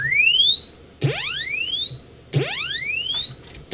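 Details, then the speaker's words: Real Commodore 64 running a SID sound test after swapping in a SID chip from a dead C64: clean chirps sweeping up in pitch, repeating about every 1.3 seconds with clear overtones; sound output now working properly. "nice now some of these you don't hear because of the volume on this but everything else looked like it was coming through well"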